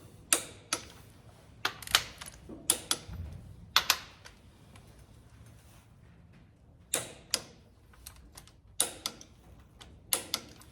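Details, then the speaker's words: Caterpillar engine in a Peterbilt truck during repair, torquing bolts on a loose one before reconnecting Jake brake solenoid wires: sharp single metallic clicks in small clusters as the torque wrench breaks over at set torque, confirming tight. "Do you hear that click? That tells me that it's tight."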